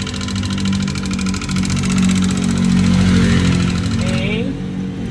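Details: Yamaha Aerox 155 scooter, engine opened up for troubleshooting: fast, light metallic ticking rides steadily over the idle, keeping time with the engine. Timing chain and tensioner checked first.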